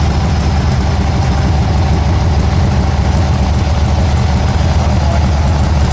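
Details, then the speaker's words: VW engine just started: deep somewhat uneven idle; 52 psi, 20 °C; idle valve still needs setting. "Yep. 52 psi, 20 degrees Celsius. Cool. Excellent. Need to set that idle valve."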